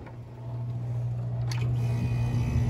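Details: AC condenser fan motor, after fixing the blade hitting; low steady hum building as the fan spins up, no scraping or ticking: fan runs freely.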